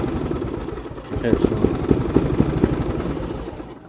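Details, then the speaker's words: Lawn-Boy XT13-38 parts tractor, small single-cylinder engine, on first drive test with Seafoam in the gas and no throttle control: uneven popping that winds down and dies whenever the drive pedal is released; owner suspects a bad safety switch. "so this thing dies no matter what when you let off on the pedal so one of the switches has to be bad"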